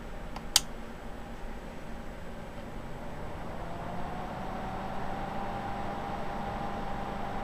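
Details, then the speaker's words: Upgraded ColorsIT power supply with thermistor on heatsink controlling the fan: power-on click, fan audible at first then slows to a quiet, even hum with soft airflow; normal, quiet. "As you can hear, the fan was quite audible at first, but it slows down to about the speed you see here, and it moves just a slight bit of air to the power supply. You know, just a small breeze through here. It does it silently."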